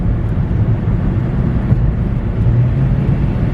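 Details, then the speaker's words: Budget Honda hybrid after checking the coils and replacing burnt spark plugs to fix a misfire, at freeway speed around 66 mph and accelerating through a turn: a smooth, even drone with no misfire or surging, though the transmission seems not to shift. "Right up to freeway speed. No problem. Accelerating through the turn here. No problem."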